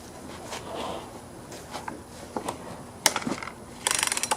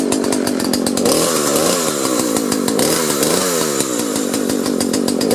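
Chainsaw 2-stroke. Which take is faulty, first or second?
first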